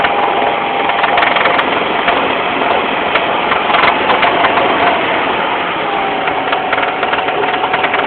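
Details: BMW engine with M43 motor: sharp, irregular metallic tapping at idle, about two to three knocks a second. Engine knock, cause unknown.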